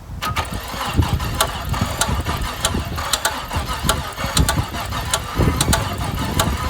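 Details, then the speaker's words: Trans Am under restoration, started on a jump box: rough, uneven running with irregular sharp clacks and knocks over it; odd mechanical noise, cause unknown and still to be found. "But it sounds kind of funny. Right? Doesn't that sound wonderful? I have no fucking idea what that is, so we're gonna have to figure this out."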